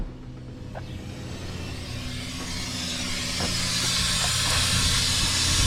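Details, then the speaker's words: Nissan Titan, AC with a newly installed compressor: a steady hiss swells over a low engine hum as refrigerant escapes from a blown AC line, with a big cloud of refrigerant from underneath. "And a big cloud of smoke come out from underneath it. It was the refrigerant."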